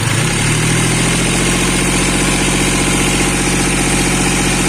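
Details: Hyundai Xcent diesel, after a faulty high-return injector was replaced with a used one: steady idle with even regular clatter, no stumbles or misfires.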